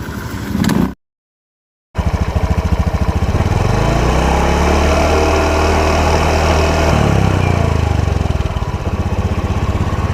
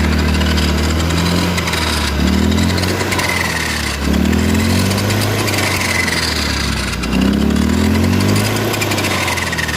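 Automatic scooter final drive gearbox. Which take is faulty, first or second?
second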